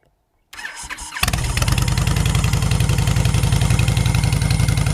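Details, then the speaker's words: V-twin motorcycle with Cobra 2000 EFI controller, breather removed, heard from the side: brief crank, catches and settles to steady, even lope about four pulses a second; clean start and normal idle. "Not too bad. Of course, the breather's off of there. So that's pretty much what it sounds like."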